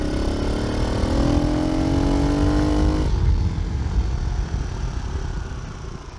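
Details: Kawasaki KLX110 dirt bike, early 2000s, after kickstart repair, carb clean, oil change and service: the single climbs smoothly to a clean high rev and drops back cleanly, no misfire or knock: normal running.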